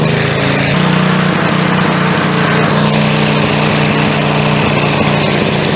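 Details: McLane edger two-stroke after carburetor diaphragm replacement and adjustment. Buzzes at a steady, even high pitch after a brief rise and holds speed cleanly without surging. Runs fine.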